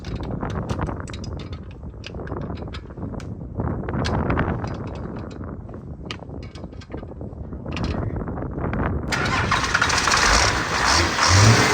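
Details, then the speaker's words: 12-valve Cummins diesel with big injectors and fuel pump, after the owner bled injectors one and three: it cranks and stumbles in uneven bursts, then catches and runs rougher. The cause is fuel starvation, as a blocked fuel tank vent pulls vacuum and cuts off fuel. "we're not getting adequate ventilation and that fuel pump is called on to deliver a bunch of fuel or creating a vacuum inside of that tank and it's cutting fuel off"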